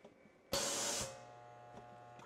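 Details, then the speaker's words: Air compressor shut off mid-cycle by smart switch, pressure trapped between check valve and motor: short hiss then steady low electric hum with no spin-up; motor stalled by trapped head pressure. "yeah doesn't work doesn't run so I shut it off right away"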